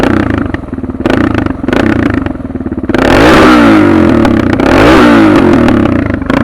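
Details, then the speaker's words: Suzuki DR650 with Procycle jet kit, 150 main jet, DGV2 slip-on, mixture screw just over one turn out, about 40 degrees, just started: single idles then two clean revs with no stumbles or blips. Carburetion spot on. "So I got my mixed fuel screw right. You can hear, I'll rev it. There's no blips."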